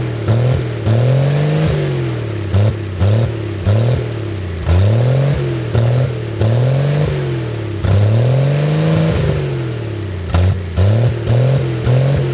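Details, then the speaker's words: 1964 Chevy Biscayne, first start after sitting abandoned 30+ years behind a barn, run on brake cleaner: engine swings its pitch with light throttle, firing evenly without misses or knocks, just above idle; normal fast idle. "See if we can give her a touch of throttle. There, that should be just a little over a idle, really."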